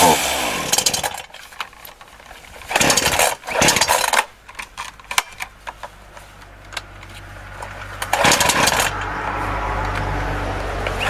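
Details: Titan TTL759CHN petrol chainsaw, heavily used, freshly refuelled and cutting: revs surge and sag unevenly, stumbling and dropping off under load, bogging at high revs; owner attributes it to an incorrect carburettor low setting.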